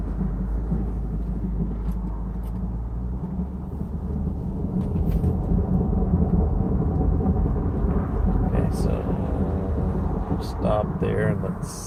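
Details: 2015 Jeep Cherokee Trailhawk creeping around a corner: heavy uneven low grinding and rumbling underneath, days after PTU replacement; dealership found rear driveshaft had not been re-attached.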